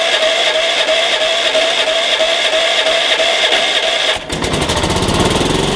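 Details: Engine cranked through a NOCO GB70 2000A jump starter in force mode with the battery's positive terminal disconnected. About four seconds of steady whirring crank, then it catches into quick, even firing. Normal healthy start.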